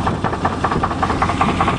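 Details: 1988 Chevy truck on a test drive. A rough note with a steady, light knocking running through it; the driver attributes the knock to a bad crankshaft, not confirmed.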